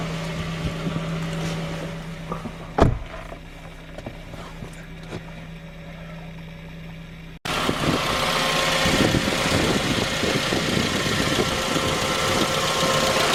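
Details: J20A engine (2010), cold idle: light, fairly regular knock about four per second over the engine hum. Began at 10,000 km and worsened after oil changes; dealer checks were normal. Found a scored crankshaft journal on cylinder 3, blamed on non-recommended oil; short block replaced.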